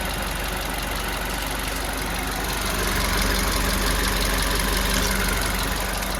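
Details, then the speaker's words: CNG car at 16,551 km, idling and recorded by the owner: fast, even ticking about four a second rides over a steady idle. The reviewer suspects it comes from around the V-belt area; the service centre said to ignore it. "हमें जो आपने भेजा है उसके हिसाब से ये जो वीडियो में टिक टिक की साउंड पीछे से सुनाई दे रही है, ये बेल्ट के आसपास से कहीं से आ रही है।"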